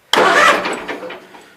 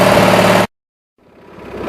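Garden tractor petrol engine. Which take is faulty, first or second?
second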